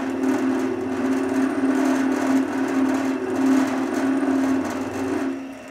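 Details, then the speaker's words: Drill press converted into a milling machine, cutting after feeds were raised: wavering mid-pitched hum that pulses unevenly, an odd vibration or chatter from the flexible spindle setup; milling chatter. "在那之后，我能够相当顺利地切割它，但毕竟有一种奇怪的振动，或者说是一种颤动。"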